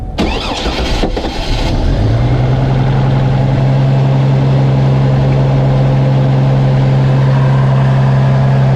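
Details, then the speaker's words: GMC Envoy with a rough idle, restarted just after cleaning the MAF sensor and throttle body; a brief crank, then it settles into a steady, even idle with no misses and no check engine light; normal start and idle. "so far it's running good let's not a warm up and see what happens"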